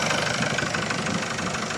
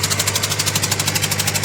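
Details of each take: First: Engine idling steadily with an even, fast patter and no stray knock or hiss, after a loose, leaking number two injector was tightened; before the fix the engine was noisy and misfiring. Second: Engine with low power and misfire at rough idle: sharp rapid ticking puffs from number two injector leaking compression; the injector is loose, suspected bolt or washer fault.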